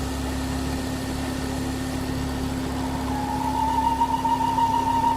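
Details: Ford Focus XR5 2.5 turbo (Volvo engine), erratic idle, engine light and lean fault code: steady idle with a thin whistle that swells; idle and noise change when oil cap loosened, indicating failed PCV valve vacuum leak.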